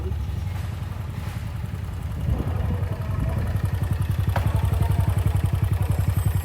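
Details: Honda Vario 150 scooter, smoking exhaust and top speed only 100 km/h: coarse, uneven idle with ragged chuffing pulse; rough running from worn internals, caused by reused bad head gasket letting coolant into combustion chamber and oil.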